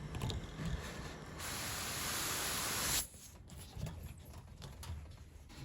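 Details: Methane-fuelled generator, gas line fitting deliberately opened for safety demonstration: sudden steady hiss about a second and a half, then cut off; pressurised gas escaping from the opened fitting.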